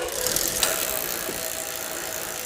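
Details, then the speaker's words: Giant Boulder SE 90s–2000s mountain bike with a freewheel: fast, dry, rasping clicks as the wheel spins; gunk and grit dried out the freewheel over the years so it drags the cranks round, fixed by a dab of lube. "this bike is a free wheel bike some Gunk and grit got in there and it dried out over the years"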